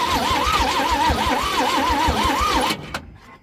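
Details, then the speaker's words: Chevrolet C10 after starter refit and cleaning corroded plugs: starter whirs with wavering whine and even compression beats about three a second, never catches; cranks, won't start. Spark and fuel present; timing tampering suspected. "It just sounds like it's not getting spark, but it is. It's definitely got fuel, so the only other thing is if somebody's messed with the timing on it."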